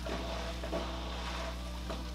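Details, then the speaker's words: Fluval FX6 canister filter, filled only halfway at first start: low, steady pump hum with gurgles and splutters as trapped air works through; normal self-priming that shuts off in about a minute, releases the air and fills completely. "Remember, we only filled it up halfway, so it's gonna self-prime. It'll shut off in about a minute or so, release all the air that's trapped inside of it, and fill itself up completely."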